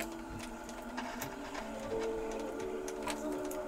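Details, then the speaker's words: Geloso G256/E valved portable 3-inch reel-to-reel tape recorder from about 1959, 1 7/8 ips: steady whirring with wavering tones that settle as capstan motor slowly reaches speed with help; owner suspects perished belts; playback then works. "I don't know if you see the Caps the motor has not gone up to it so there we go oh we've got a bit of sound"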